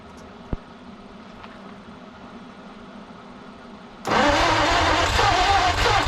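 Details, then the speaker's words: 1953 Studebaker Starliner, off the road possibly 45 years, with old plugs, wires and points: quiet, then catches after about four seconds and settles into a fairly even idle with steady pulses; normal idle. "It's alive. It's not too bad. Don't think it's running pretty even."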